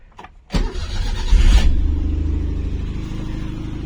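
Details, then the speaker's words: Circa-1986 Honda Acty kei van idling after exhaust replacement: engine fires, blips once, then drops to a low, soft, even burble with no rasp or blowing; much quieter than before, normal idle. "so it's running it sounds a lot better now not nowhere near as loud"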